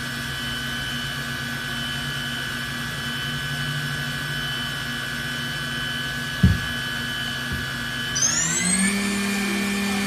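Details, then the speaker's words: 2017 Okuma Genos M560-V vertical machining center spindle run stepping 5,000, 8,000 to 12,000 rpm: clean, steady whine climbing smoothly in pitch, no grinding; sounds good, slight noise probably from the covers. "This one sounds good. Sounds good. A little bit of noise. Hard to tell. It sounds like it's in the covers."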